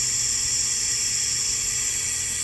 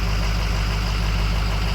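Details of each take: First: 6.0 Powerstroke with a hot no-start, engine off, shop air applied; loud steady high hiss from a leak on the high-pressure oil side, quiet at first, louder once oil cleared the passage; valve cover to come off again. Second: Ford 6.0 Powerstroke diesel with hot no-start, after rails reinstalled and torqued to Ford procedure, warming up: deep, steady idle with even low rumble, no misses, knocks or hunting; running healthy.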